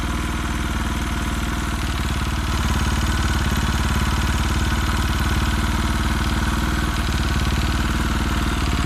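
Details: KTM RFS single-cylinder at idle: steady, fairly even ticking knock riding on each firing beat; knock present, cause not pinned down.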